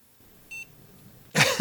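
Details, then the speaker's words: Old Advantech board, about 10-15 years old, running on a 24 V supply during repair: a single short high beep from the onboard SP1 speaker at switch-on, then quiet, so the board posts. "It's beeping. Where on earth is the beeper on this board? I really don't know."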